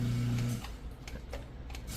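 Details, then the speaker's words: Chamberlain LiftMaster Pro 1/3 hp opener, chain removed after trolley jammed closed: steady low hum starting and stopping with light clicks between, no straining or grinding; motor spins freely unloaded both directions, apparently just needed resetting. "yeah both directions so I think it just needed to come off and get all reset again"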